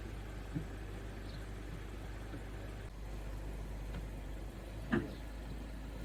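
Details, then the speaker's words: 2017 Mazda 3, 6-speed SkyActiv-Drive automatic (FW6A-EL), after transmission fluid and filter service, warming up: steady idle with two thumps, the second a sharp clunk as it slams into gear; happened only the first time, not afterwards. "Don't buy it from a dealer, guys. Get it on Amazon or somewhere. Kind of slammed into gear, didn't it?"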